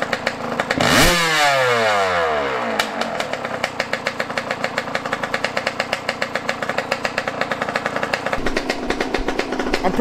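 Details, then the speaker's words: Yamaha YZ125 two-stroke after a carburetor adjustment, started at about 20 degrees: a sharp rev sweep, then a crisp, steady ring-ding idle. It runs clean and is judged good. "right there is good she sounds good right now y'all i ain't gonna catch she sounds good"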